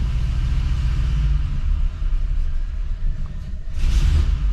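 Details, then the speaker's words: LS-swapped square body 3+3 V8, cold start on a Holley Terminator X that is still learning its parameters; low rumble with the idle swelling and sagging as it settles. Idle hunting on cold start. "Still learning its parameters a little bit, so it hunts a little bit on startup."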